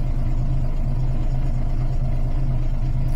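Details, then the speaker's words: Volvo B10M coach diesel idling after Bendix AD-2 air dryer rebuild, near unloading pressure; steady even low idle about three pulses a second, no tinkling, no air leaks. "It's not far off unloading if it's going to. No tinkling, no leaks."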